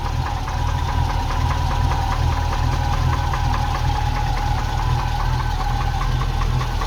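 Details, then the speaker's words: Ex-NZ Army V8 Land Rover (NZ 341) on first test after Mallory ignition swap (coil, optical unit, cap, rotor, ballast resistor): idles with choke off for the first time; even V8 idle with light regular ticking on top, steady beat, no stumbling. "That's the first time ever with this truck that I've been able to kill the choke straight away and it keeps running. So that's fantastic, massive improvement already."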